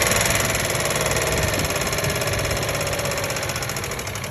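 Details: 1997 Ford Expedition 5.4L 2V V8 at idle: steady quick ticking, three to four taps a second, began after fuel pump and filter change; P0153 code set, injectors ohm-checked in range; owner suspects clogged or leaking injector; unconfirmed.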